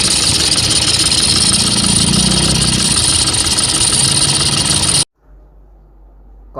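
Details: Toyota Vigo pickup after replacing the failed alternator overrunning clutch pulley with a genuine part: starts and settles into a steady, even idle with a smooth belt-drive hum, no squeal or rattle at the front, then shuts off.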